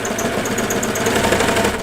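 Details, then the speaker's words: Sewing machine while sewing pajama pockets: fast even stitching patter with a thin high chirp each stroke; machine squeaks, source not identified. "see that hear that squeak what was the squeak"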